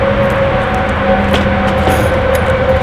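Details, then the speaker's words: Freshly rebuilt Kawasaki KX 85 two-stroke on first start, running 32:1 premix, after squish, ring-gap, piston and cylinder checks: crisp steady buzz with an even pitch, no rattle or piston slap; engine running normally. "Yeah, it sounds really good, and you're right, like, there's no rattle from the engine."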